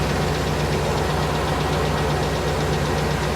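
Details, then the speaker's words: 1998 GMC Savana 5.7, started cold at 29°F, after over three minutes warming at idle: light steady tick keeping pace with engine speed, suspected valvetrain or lifter; good oil pressure, no check-engine light, quieter than before. "i can hear the tick it's definitely better than it has been so i'm hoping for the best"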